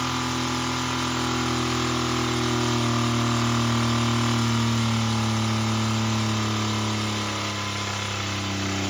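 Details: Toyota pickup engine, damaged by water ingestion, deliberately held at full throttle until failure, lasting under two minutes: screaming steady high revs with a hard, regular hammering knock, then revs sag near the end as the rods snap.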